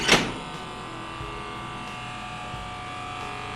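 A sharp clack, then a steady electric buzz holding one pitch throughout; the controller alarm is sounding during the pump test.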